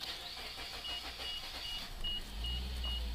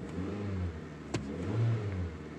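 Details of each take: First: Suzuki SX4 with a P0301 cylinder 1 misfire and falling fuel economy, after cleaning the plug (NGK iridium, about 30,000–35,000 miles): cranks slowly, then a rough, uneven idle below 1000 rpm that still stumbles. Owner suspects the spark plugs. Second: Suzuki SX4 that ran rough with P0301 cylinder 1 misfire and falling fuel economy, after replacing NGK iridium plugs failed at about 35,000 miles: starts right away, climbs cleanly and drops back smoothly with no stumble or misfire; normal revving.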